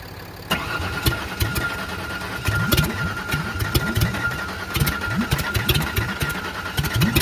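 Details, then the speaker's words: 1994 Ford Ranger 3.0 L V6, no transmission, run to destruction with nitrous and water in the intake, restarted after battery fix: loud irregular metal-on-metal clanks with each rev blip, blow-by increasing, rod knock. "well that sounded metal on metal but we better be sure"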